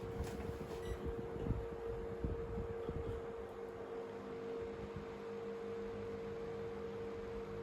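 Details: 1970s/80s Limit Ariel 12-inch oscillating desk fan, on low at about 48.3 W and about 984 ft/min max airflow; soft steady hum and airy rush after light knocks. Running smoothly.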